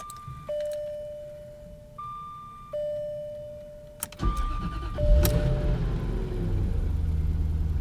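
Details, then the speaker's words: 1997 Jaguar XK8 after fitting a remanufactured ECU (old one had bad solder joints causing misfires, hard cold starts): warning chimes, short crank, clean catch and steady even idle; normal cold start. "a promising sign because before it wouldn't fire up at all or it would stumble on its ass so we're gonna let it run we're gonna let her warm up see how she behaves already acting better"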